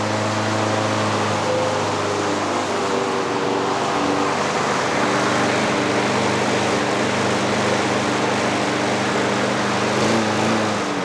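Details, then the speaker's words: Trash-picked Craftsman 6.5 HP 21-inch push mower, loud busy engine whose pitch wanders and climbs without settling; governor arm stuck at the carburetor, speed uncontrolled (later freed with PB Blaster). "our governor arm was not moving in our carburetor and the governor couldn't control it"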